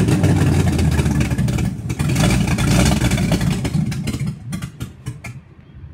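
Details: Carbureted car started the day after camshaft break-in and idle timing set: uneven stumbling idle with irregular low beats that fade and die, barely holding then stalling.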